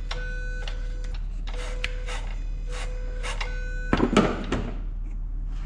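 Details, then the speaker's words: 2014 Mustang 5.0 Coyote swapped into a 3V S197 Mustang using a plug-and-play harness, key on and engine off before first start; HVAC motors run, short buzzing whirs in bursts then a clunk; normal throttle body self-test. "turn the key on you're going to hear the HVAC Motors going nuts he that fuel pump Maybe Might May it but you can hear the throttle body doing its"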